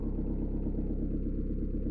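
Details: Peugeot/Citroën 1.9 D diesel with mechanical injection pump, after valve clearance adjustment: even idle with steady, regular clatter and no rocker tapping; the fix cured hard morning starts and smoke on starting and acceleration, caused by tappets with no clearance.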